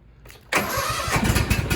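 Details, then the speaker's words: New 2023 Cub Cadet ZT1 54P zero-turn mower, first start after crate assembly, choke on and a little throttle; brief crank, catches at once into an even mid-pitched idle, clean healthy start. "All right, immediately right, guys. Hey, she's running."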